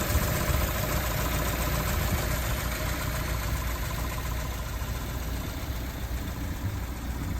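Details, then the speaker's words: 1954 Ford Popular showing 58 miles, sat nearly 70 years, rebuilt carb, new leads, coil, 6-volt battery and electric fuel pump; purrs into life and settles into a soft, even idle with steady low beat, no knocks or misses; normal idle. "Ignition on, starter button. And there we go. It purrs into life."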